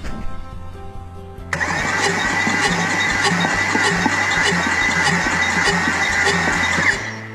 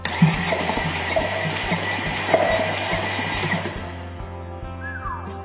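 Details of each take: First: Salvage Audi S6, compression test with new starter; cylinder reaches only about 50-60 psi, owner suspects sticking rings after the car sat. Even cranking about four beats a second with puffing whoosh back through intake; low compression. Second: Salvage Audi S6 cranked with new starter, engine ground temporarily clamped to block, all spark plugs out so only one cylinder compressing. Even cranking with firm thump about three times a second; that cylinder sounds like healthy compression.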